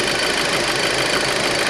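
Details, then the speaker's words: 2006 Audi A4 2.0 Turbo with code P0171, engine idling with the oil filler cap lifted: loud, steady rushing hiss as the engine shakes and stumbles, severe crankcase vacuum; PCV valve and diaphragm suspected bad. "So what I did notice is with the engine running, just that gap, I'm going to pull it up. Severe vacuum. As you lift it up, you can feel the engine start to shake and stumble, and you hear it hissing."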